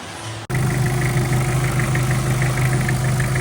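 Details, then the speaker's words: Mitsubishi Pajero Field Master diesel after new double timing chain set, guides and gears, valve guides, seals and piston rings, intercooler not yet fitted: steady quiet idle, no rattle or slap from the timing end, oil leak gone; normal idle. "Ganda, tahimik na."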